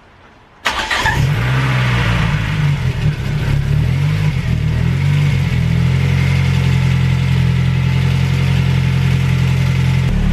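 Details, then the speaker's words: Ford Focus RS Mk1 petrol engine at first start after a crankcase helicoil repair and new oil sump, months off the road: rough, slightly misfiring start with light valve-train tapping that calms into a steadier idle. "It started being a bit tappy to start with, but I think you can actually hear that's calmed down a bit now."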